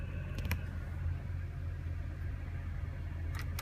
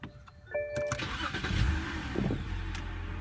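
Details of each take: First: BMW petrol engine idling with AC switched on: low uneven throb with hunting RPM, rough and shaking; scan showed cylinder 4 misfire and low-airflow throttle code. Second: BMW with earlier misfire on cylinder 4, throttle code and stalling, after cleaning with carbon cleaner: engine cranks, catches and settles into steady idle without RPM jumping; engine light still on.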